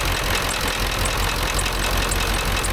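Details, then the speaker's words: Ford F350 dually 7.3 Powerstroke diesel after replacing a bent pushrod, second from the back, valves now opening properly: heavy idle clatter with an odd louder knock now and then; runs much better but occasional knock, cause unknown. "No idea what that knocking is occasionally."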